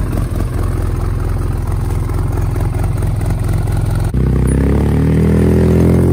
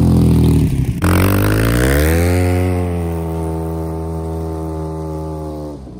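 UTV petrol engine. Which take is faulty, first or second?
second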